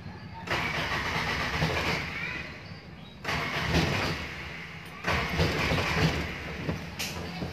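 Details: Toyota Tamaraw FX gasoline engine, after a jumper wire restored power from the ignition switch to the ignition coil positive: three cranks, each catching into a rough run; it now starts normally.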